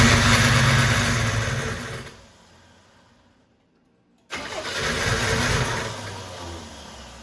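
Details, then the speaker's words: 1987 Buick Turbo T (Grand National) started after 12 years, following fixes to a loose ground and a swap to solid-core plug wires: catches with a strong roar, drops, then settles into a steady, even run, no knocks or misses; normal running. "So after 12 years, it started up and it sounds good. The engine sounds good"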